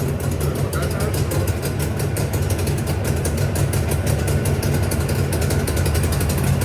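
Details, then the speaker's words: JAWA 350 (638) two-stroke motorcycle, idle raised slightly while warming: steady even burble with no knocks; owner suspected piston or crankshaft trouble from an earlier noise, but it runs normally here. "Нормально у неё вообще работал чучуть холостой добавил она прогреется"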